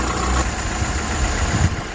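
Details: Vandalised salvage VW Golf Mk6 bought at auction, described as mechanically immaculate with no engine lights on: a low, even idle hum with a faint high whistle and no tapping or misfire; sounds healthy.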